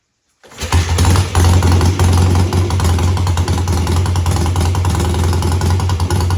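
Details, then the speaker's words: Home-built old-school BSA twin-cylinder chopper, carburetor or ignition suspected, owner checking throttle slides one at a time: kicks over into a lumpy, stumbling beat as one cylinder fails to keep up; misfire on one cylinder. "It's like one cylinder is doing fine and the other cylinder is not keeping up. So, I've got I've got one cylinder affected by what's going on here."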